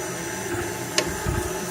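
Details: Printrbot 3D printer mid-print: single sharp click over steady hum, then rougher noise; worsening intermittent clicking with ruined prints, random 3 mm layer offsets and extrusion stopping; cause not traced.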